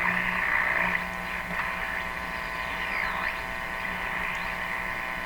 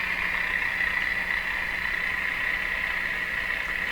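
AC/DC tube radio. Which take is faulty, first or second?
second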